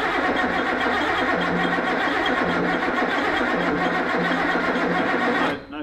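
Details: Ford XY GT Falcon with 351 V8 on first start-up after build, fuel system primed by pressurizing the tank: steady starter cranking about four turns a second, turning over fine but no spark or catch; no start, ignition timing out.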